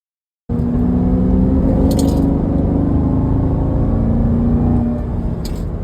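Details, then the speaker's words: C7 Corvette, 6.2 L V8, highway cruise with 0% oil life remaining: a loud, steady, siren-like whine over road rumble. The differential is suspected, possibly failing, but this is not confirmed. "Uh, that is the loudest diff wine I think I've ever heard in a car. It's It sounds like a siren."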